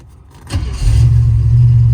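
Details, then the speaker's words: 1973 Chevrolet K5 Blazer after rewiring distributor 12 V feed as a single keyed wire isolated from the fuse block; quick crank catches at once and settles into a steady, deep, even idle, starting and running on the key as it should. "so now if you look here we're going to turn the key on as it should"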